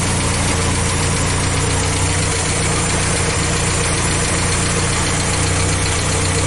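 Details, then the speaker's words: International Scout 80 with carb untuned and the oil bath air cleaner and choke not yet fitted, engine warm: fast, slightly uneven idle with a loose low knocking pulse; idle won't go down low enough, likely the current carb setting. "uh and then rig up the choke and then uh it still couldn't idle all down low enough I think it's how I have it set right now"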